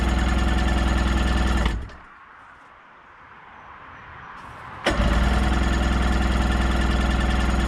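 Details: 1990 Sea-Doo GT, 587cc Rotax, non-running unit, cranked with choke and starting fluid: two long cranking spells at about four even beats a second that never catch; crank no-start, spark to be checked.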